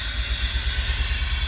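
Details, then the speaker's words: Pontiac Fiero GT starting for the first time after a fuel pump and clutch slave cylinder replacement; a lumpy low idle with a loud, steady airy hiss from an obvious big vacuum leak somewhere. "So I don't know if you can hear me, but there's obviously a pretty big vacuum leak somewhere in here. But it's running."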